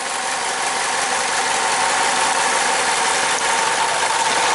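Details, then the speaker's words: 2009 Chevy Cobalt, 92k miles, P0300, cylinder 3 misfire counts, cylinder drop test at idle: irregular shaky beat stumbling about three times a second, cylinder 3 partly contributing. "it gets a lot worse so so it is a cylinder 3 misfire but it's not a hard you know complete lack of contribution"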